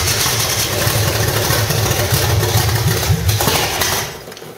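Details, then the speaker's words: 1985 stepside with a cammed V8, roller rockers and headers, possibly a 400 hp Corvette engine per the seller: long rough cranking catches into an uneven, lumpy run that dies away. The old gummed-up carburetor delayed fuel flow at start. "that's it so yeah that old carburetor is uh you know pretty gummed up and stuff so you know it took a little bit to get the gas flowing through there"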